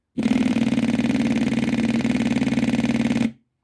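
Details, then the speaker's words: Replacement electric fuel pump for a Morris, bench-tested before fitting: rapid, even buzzing pulses for about three seconds, then a clean stop; pump works normally. "that one seems to work so get it in the car"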